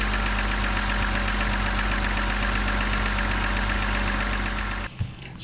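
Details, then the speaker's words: BMW N52 engine at steady idle with a fast, even light tick over the engine note, a hydraulic lifter tick; oil changes only quiet it for a couple of thousand before the tick returns. "you change the oil it works for a couple of thousand guys and tick tick tick tick is back"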